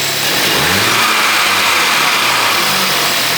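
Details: Crash-damaged 2015 VW Golf R after water pump replacement and plug repair, first run with intercooler tied in place: engine blips up cleanly and drops back smoothly, even note with no knock, rattle or misfire; sounds healthy.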